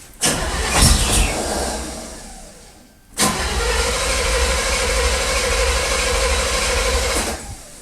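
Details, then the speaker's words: 1979 Chevrolet half-ton with electric choke, possibly flooded, on a 47-degree day: cranking with a thin steady whistle over the starter churn, acting like it wants to start but not firing; whistle source unknown. "it's got a real weird whistle going on [Music] it's acting like it's really wanting to crank off for some reason"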